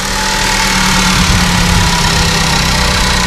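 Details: 2013 Ford Focus after a full service with new spark plugs and a resealed, leaking rocker cover, on a 37-degree day: steady, even idle with a smooth low hum and no ticking, knocking or stumbling; the engine light went off.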